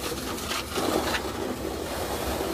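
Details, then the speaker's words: Alliance IPSO stack dryer, front panel off after new bearings fitted: low steady scraping rub as the drum turns; drum sits with almost no gap on one side, worn roller/bearing wheels let it sag and rub. "can hear that rubbing what we've got right in camera here right on this side there's almost no space that drum needs to be sitting over about there"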